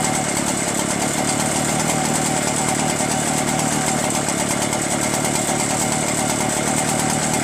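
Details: Echo PB-403T two-stroke backpack blower, carburetor cleaned, magneto reinstalled, kill wire removed: a steady, even two-stroke buzz with no surging, misfires or stumbles; running normally.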